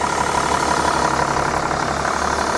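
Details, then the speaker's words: 2006 Mercedes-Benz E320 CDI, inline-six common-rail diesel, about 200 hp and 370 lb-ft, in for a serpentine belt: steady, even idle with light injector clatter, no misses or knocks; sounds healthy. "it sounds awesome sounds like a common rail cummins basically is an inline six common rail diesel"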